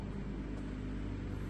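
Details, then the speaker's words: G-body car, electric fuel pump primed and running: a steady, even, loud hum with a low drone underneath and no change in pitch, a normal electric fuel pump running. "fuel pump loud y'all"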